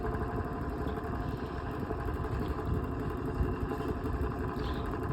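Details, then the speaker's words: Vintage Lasko 16-inch oscillating fan on medium speed: steady low hum with constant loose clattering rattle, blowing little air; cause unknown, fan only works properly and quietly on high. "Now, medium sounds horrible. This is just rattles a lot. This fan is just awful."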